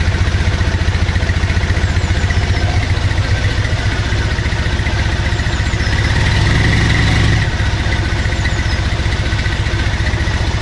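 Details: Triumph Bonneville twin after refilling a dry fuel system, warming with heat in both headers, choke available, engine warning light on, mic on the bike: even, steady idle thump about four pulses a second, no knocks or misses; normal idle.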